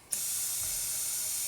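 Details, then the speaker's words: 1972 Harley XL Ironhead bobber rear wheel during tire change: sudden steady high hiss as air escapes past the spoke nipples while the new tube inflates and fills the rim void; continued leaking would mean a holed tube. "41 air leaks every nipple every nipple and every one of these and right here yep so once the air once the tube takes all the air out of the void in there then these will all [ __ ] leaking hopefully"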